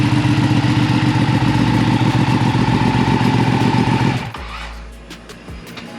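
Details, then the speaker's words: Ducati 959 Panigale with a newly installed full titanium Akrapovic exhaust; deep, even throb at about four pulses a second, settling quieter at idle; healthy running. "definitely louder. It's not like louder when it's idling, but I"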